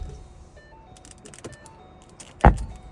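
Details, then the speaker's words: 2011 Ford Mustang factory stereo with amplifier; quiet chimes, then a single loud low thump as the stereo switches off. The noise comes through the bass speaker; factory amplifier turn-off pop. "Y recalcar que el que hace el ruido ese es el bajo, es el que truena."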